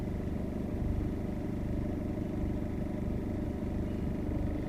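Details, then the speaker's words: 2001 Ford Ranger 2.5 XLT, British version, diesel: heavy, low, pulsing clatter at steady idle with coarse shake through the cab, camera resting on the steering wheel; excessive vibration, cause unknown. "there lots of vibration I'm just going to place the camera on there so you can see how much it vibrates"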